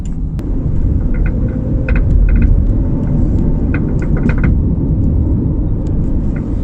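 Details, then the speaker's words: 2008 Toyota Kluger/Highlander on the road; heavy rumble with sharp, irregular knocks and snaps over bumps from the front suspension. Worn front strut top mount, confirmed fixed after repair. "that's the nice guys that's very loud so I'm suspecting that there is a problem with the upper suspension uh struck"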